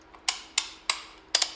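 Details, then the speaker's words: Jeep Wrangler TJ with new HVAC control unit fitted, replacing one with a broken switch: crisp, clean clicks about every third of a second with a quick double as the mode selector detents; switch working normally. "And the selector, that's music to my ears right there. Works."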